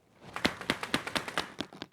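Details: RGB LED tube light shaken back and forth, giving sharp hollow clacks four or five a second: a loose internal unit rattling, owner suspects a defective unit.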